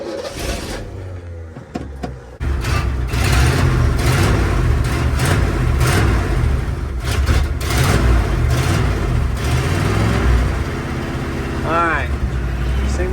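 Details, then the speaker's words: 1967 Ford F100 V8 abandoned 20 years, after accelerator pump and fuel pump repair: catches and lopes with choppy idle between blips from an aggressive cam; runs well but has a bad carburetor fuel leak. "it's running pretty good. It's got a bad fuel leak, though."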